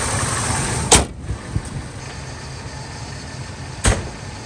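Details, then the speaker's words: 2000 Ford F250 5.4 2V V8 after cleaning the idle air control valve and throttle body: low, steady idle rumble, even apart from two brief handling thumps; normal idle. "let's go for a test drive this thing running it's running great"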